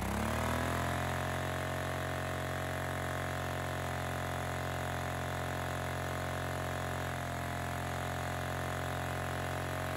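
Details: Honda EX1000 suitcase generator during load test after hard starting (owner suspected a fuel issue, choke possibly left on): steady, even drone of constant pitch with no surging or misses. Normal running under load.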